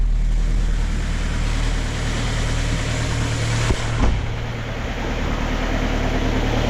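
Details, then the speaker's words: Kia Ceed 1.6 diesel just started in frost (about -12 to -14 °C outside) with a Dnipro-M JS-12P jump starter after the battery died: steady even diesel clatter, smooth low rumble, no stumbling or hunting; normal idle. "єтноєм супер все Super Ну що народ Хай працює машинка"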